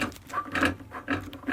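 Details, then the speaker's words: Classic VW shift rod rocked by hand at its tunnel hanger: light metallic clicks about twice a second. The worn bushing lets the steel rod knock metal against metal. "you can hear it. It's metal against metal."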